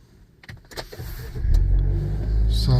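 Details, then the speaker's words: 2015 Nissan Juke F15 after starter replacement for a no-crank fault, warm engine: single starter click and brief crank, engine catches at once into steady idle; clean start repeated three times. "it start uh one click guys. One more. We'll do it three times. One more. So everything is starter is working fine right now guys."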